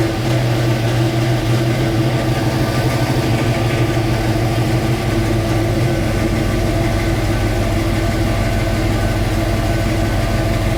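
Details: 1966 Mustang Fastback, new 347 stroker V8 with carburetor, just after first start; deep, loud, steady rumble settling after a few seconds, no knocks or ticks, owner says idle screws still need adjusting; normal idle.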